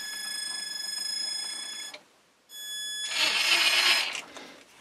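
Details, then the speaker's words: Traxxas TRX-4 crawler, new Holmes Hobbies motor replacing squeaky Titan motor, quick ESC direction test: steady high whine spins up, stops briefly, spins up again, smooth with no squeak; runs cleanly. "it sounds infinitely better than your Titan no more squeaks very nice"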